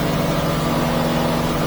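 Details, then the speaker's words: New 2023 Yamaha F300 outboard on a North River 24 Seahawk, wide open throttle while trimming up, about 5,900 to 6,000 rpm: smooth steady high drone that doesn't labor, no misses; normal running. "oh man it doesn't even labor it yay Rim it up a little bit 59 to trim it there actually hit six thousand"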